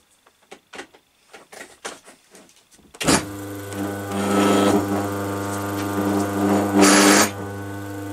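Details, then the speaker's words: Single-phase Crompton Parkinson induction motor, after reassembly and fixing the noise fault, pulley not yet refitted: light handling taps, then spins up to a steady even hum with no rattle or knock; motor fixed, running normally. "and there we go that's our motor fixed"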